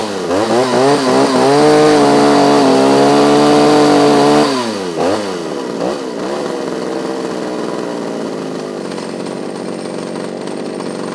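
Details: Restored 1976–81 Pioneer P26 chainsaw with a slightly loose exhaust: screams at high revs, then sags and wavers unevenly, unable to hold idle; owner thinks it runs a little rich but left it.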